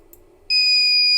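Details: Panasonic DVR: loud, continuous high-pitched beep starts abruptly and holds steady; hard disk error alarm (no disk or failed disk), silenced by unchecking hard disk error and no space under the abnormality alarm settings.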